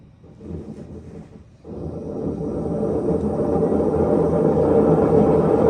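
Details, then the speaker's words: Maytag washer, customer complaint of loud noise, run in diagnostic spin test: deep rumbling roar builds as drum speeds up and grows with drum speed; drum bearing is shot, drum shows play when rocked. "that's that's hundred percent the bearing the bearing is shot on it"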